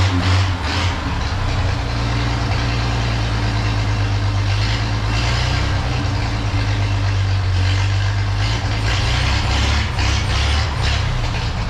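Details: 1932 Chevy truck "Rockabilly Rat", old petrol engine after a tune-up: smooth, even low idle with steady firing and no misses or stumbles; normal idle, runs great.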